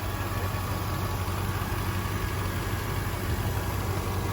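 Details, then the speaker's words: $1500 supercharged Range Rover at a salvage auction: deep, even V8 idle with a smooth low rumble and no knocks, ticks or whine; the engine runs good. "It sounds like it runs good. There we go."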